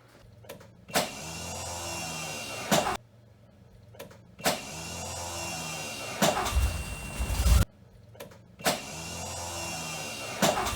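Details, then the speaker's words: DeLorean DMC-12 (VIN 16109) with its original 40+ year old Paris-Rhone starter: short high whirring bursts that never catch, the starter freespinning without engaging. The fault has been intermittent for a year and more frequent after driving and parking. Battery ruled out; fix is a rebuilt Duralast starter. "so my starter's been giving me problems for probably a year now and it's becoming more and more frequent i'm gonna start it"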